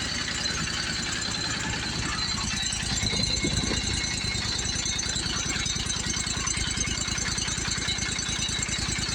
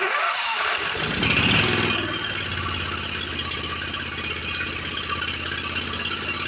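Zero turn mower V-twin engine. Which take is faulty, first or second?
second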